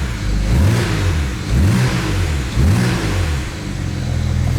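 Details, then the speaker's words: BMW 335i N54 twin-turbo six, manual, after new injectors installed: sharp throttle blips with cleanly rising and falling pitch, crisp even pull, no ticking or misfire; former injector noise and vibration gone, response strong. "once i install these injectors the injector noise is gone and now it's printing like a kitty look at that pretty [ __ ] sick and the response is like amazing check it"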